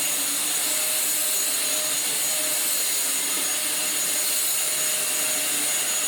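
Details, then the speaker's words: Dyson DC04 Absolute Plus upright vacuum after motor replacement and a different clutch with fresh belts fitted: steady high-pitched motor rush with even airflow hiss that never wavers; runs normally, repair a success. "I think that's a success. It seems to work fine, even with its slight repairs, which is always a bonus."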